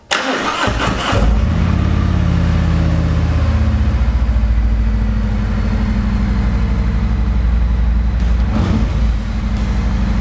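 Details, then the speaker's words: Harley-Davidson Road Glide Special started in first gear with the clutch pulled: cranks briefly, catches within a second, settles into an even loping twin idle, no misses or clatter; fault seems fixed. "so that seems to have done it um and again like i read in the forum sometimes that little button that's kind of jammed between the clutch and this housing here gets some dirt or dust and it doesn't make a good contact when you're pulling this clutch in"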